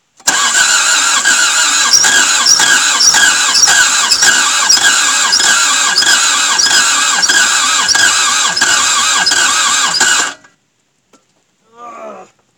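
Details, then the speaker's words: Toyota MR2 AW11 after cleaning injectors and distributor, airflow meter unplugged: steady cranking about three beats a second for ten seconds without catching; it tries to ignite but won't fire, owner thinks the engine is dead. "it definitely tries to ignite even with it unplug it actually seems to try better with the air flow meter employed but I don't know I don't know guys I think it's dead"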